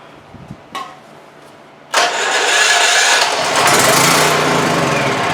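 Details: Cabela's/Champion 196cc 3500/4000 W electric/pull-start generator after carburetor cleaning, inline fuel filter added and fuel partly drained and topped off: a couple of clicks and a short pause, then the engine catches at once and settles into a steady, even run; clean, healthy start.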